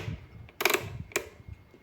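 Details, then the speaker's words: Arno Clic blender, 127 V 600 W: with the jar not fully seated the safety interlock stays open, so two sharp switch clicks are heard with no motor hum. Neither the speed switch nor pulse starts the motor. "Aí vocês vêm e fazem isso aqui, ó. Ó. E o motor não funciona."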